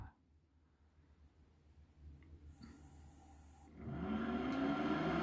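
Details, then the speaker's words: Nissan Leaf motor with gearbox mounted upright on adapter plate and coupler, spin test on 36 V controller for a classic BMW EV conversion; smooth tone climbing as it spins up slowly, no binding or catching. "it moving slowly first I mean it's not going to go very fast and that sounds good to me doesn't sound out as any binding or catching or anything untoward"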